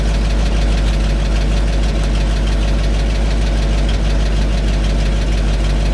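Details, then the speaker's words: 1975 GMC C6000, 350 V8, mouse nest cleared from exhaust, little fuel in tank: heavy low rumble with uneven lumpy idle; rough idle, owner suspects weak fuel pump or air leak, unconfirmed. "I was hoping maybe it was pulling air there it runs I guess if I gotta find a fuel pump for it I will"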